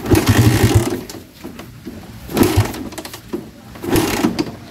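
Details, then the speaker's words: Raider 150 carbureted motorcycle that suddenly dies and won't restart: three long cranking bursts without catching; hard starting. "paandarin mga Napansin niyo mga idol no napakahirap paandarin"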